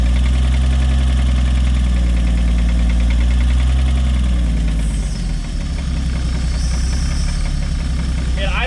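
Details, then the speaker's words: 1964 or 1965 Chevy G10 van engine, run after sitting at least 25 years and smoking heavily: the old engine idles with a steady, fairly even knock, about three per second, over a low rumble, seeming to come from the back of the engine. Possible bottom-end wear, an unhealthy engine. "The motor's got a bad knock, and it sounds like back here towards the back. So I would say it's probably not a healthy engine."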